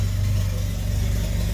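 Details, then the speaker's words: Mitsubishi Eclipse GSX 4G63, first start after the firing order was corrected, vacuum line plugged: a lumpy, uneven, hunting idle running very rich. Owner suspects fuel pressure is too high and a boost leak. Rough idle. "She's running on her own, guys. A little rough idle, but"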